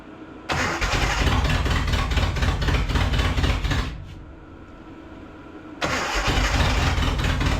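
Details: Datsun 720 King Cab 4x4 pickup, abandoned 20 years, carburetor cleaned with spray, anti-dieseling solenoid fried: catches, runs roughly, fades out and needs restarting. It only runs with lots of extra fuel; owner suspects a vacuum leak letting in too much air.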